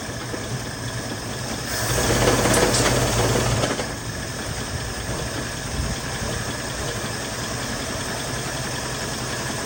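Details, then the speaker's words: 1975 mail Jeep, revived after sitting, running from a gas jug with carburetor bowl filled by hand: uneven, stumbling idle about three and a half pulses a second, runs rough; fuel pump suspected not working. "runs a little rough, but she does run."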